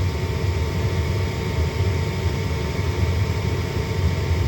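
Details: Lennox/Ducane furnace after replacing a faulty pressure switch (pressure-switch-open fault code): steady low hum with an even whoosh of air and no rattles or surging; the draft inducer runs normally.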